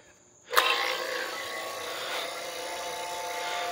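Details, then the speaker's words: Vacuum pump evacuating a 110V 12,000 BTU eBay mini split heat pump line set on an enclosed trailer after a 12 PSI hold test: kicks on sharply then steady high buzzing whine, tone changing as it pulls vacuum; running properly. "you can still hear the pump you may not can hear it I can hear the tone changing I don't know if you can hear that but anyways what that's doing is actually pulling the air out"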